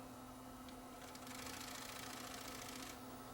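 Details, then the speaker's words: Sony CCD-TRV715 Hi8 camcorder after a brief cleaning-tape run: faint steady hum with quick uneven ticking as the head drum strains to start, the tape sticking to the drum, suspected film on the drum surface. "sticking that noise you hear is the drum trying to start up but the tape is actually sticking to the drum"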